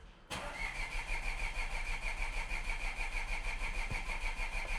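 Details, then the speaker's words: 2014 Audi S5, supercharged V6 with 7-speed dual-clutch, bought from an insurance auction: after clearing codes and swapping in a cam position sensor from an S4, the idle lurches unevenly, sounding like three cylinders, with the same misfire codes returning. "Huh, it's even worse now. [Applause] Definitely sounds like a threecylinder right now."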